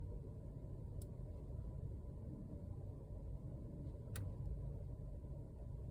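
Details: VW Passat B8 2017, driving: occasional sharp clicks from the steering wheel area over a steady low road rumble inside the car.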